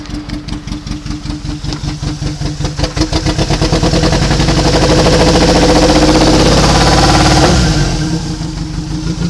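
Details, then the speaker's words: Nissan Sentra with number 1 injector unplugged and no change in running: lumpy, uneven idle with a skipping pulse; misfire from dead cylinder 1, injector getting no power or failed. "Number 1 injector is either getting no power or it is no good."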